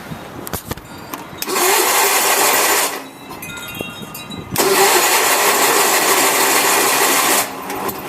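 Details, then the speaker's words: Onan BF 16 hp twin, carb adjusted (brass float, fuel pump rebuilt), started with a little choke: catches and runs in two rough bursts then stumbles and dies, spewing fuel; carburetor flooding, cause not yet found. "I still have a problem when I start it up and it runs for a little bit, it starts spewing out fuel."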